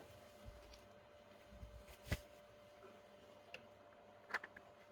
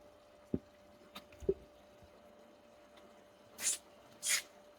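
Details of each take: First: Sun Sun HBL hang-on aquarium filter pump: faint steady buzz with a few sharp clicks from air drawn into the impeller, linked to low water level or outlet flow valve opened too far. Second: Sun Sun HBL hanging aquarium filter pump after fixing air-lock ("e khí") noise caused by an outlet flow set too high: a faint steady hum under drips and splashes, no rattle or gurgle; normal quiet running.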